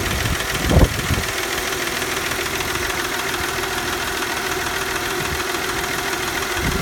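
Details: 1997 Mercedes C240 M112 petrol V6, 160,000 km, idling after a hard start needing throttle: steady idle with dull irregular knocking under a faint hum; noise appeared suddenly, cause unknown.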